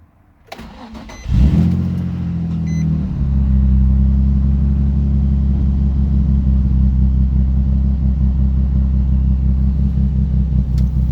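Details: 2004 Nissan 350Z idling: engine starts then runs with an uneven lumpy pulse, rough idle appearing randomly with flashing AT check light; cause unknown.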